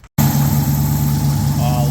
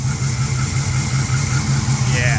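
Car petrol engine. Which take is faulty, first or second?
second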